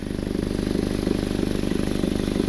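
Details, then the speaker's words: Exhaust leak at a bad flex pipe, with visible discoloration there: fast, sharp puffing tick following every firing pulse at idle, raspy and loud underneath. "I can feel they're escaping right over here where this flex pipe is and you can kind of see the discoloration right over here as well"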